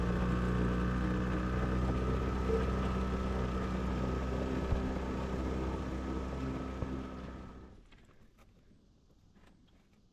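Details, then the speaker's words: Two-stroke boat outboard after a 30-minute rest: steady, even drone with a smooth low beat that slowly fades off; had been on one cylinder, owner thinks a flooded carb fouled the second plug; now running normally. "And I stopped and for about 30 minutes or so, and now it's running so much better."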